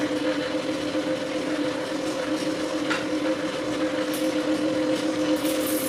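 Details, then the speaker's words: 36V hoverboard hub motor pedalled as an off-grid battery charger, connected to the battery load at about 24: a steady mid-pitched electric whine with two even tones; normal hub motor whine under load. "So now I'm going to start pedaling to 24 and then I'll connect it. And you can hear the sound of the motor start whining."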